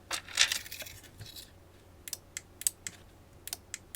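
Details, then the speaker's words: Cheap 4-channel wireless RF remote relay board powered at 12 V, pressing fob buttons A–D after learning: sharp, dry clicks a few times a second, each a clean snap, with relay pitch changing per button. Normal relay clicking. "Definitely one of the relays is going off. And I can tell as I push A, B, C, D, I can hear the pitch of these relays actually changing."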